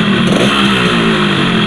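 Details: Yamaha RX-King two-stroke with a rough engine, before the piston was pressed tight back into the block: revving with a harsh gravelly rattle over the buzz that tracks engine speed; loose piston noise.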